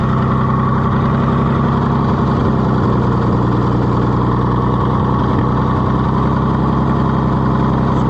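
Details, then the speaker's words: Oliver 70 tractor after a difficult carburetor rebuild, running with a little choke: steady, even low thrum with no misses or stumbles, holding a smooth idle; the engine is running healthily. "there we go almost it runs that good we fought and fought and fought with that carburetor but if that's what it takes to be a runner why it's worth it"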